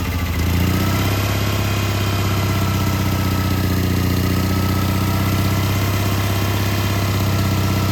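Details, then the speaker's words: Old Onan generator, cold start on choke at about 10–14°F after sitting a while, with a new carburetor and fuel pump; fires almost instantly, then holds an even, deep chugging idle with no misses or knocks. "you can hear the cold you can hear how cold it is it's cold today"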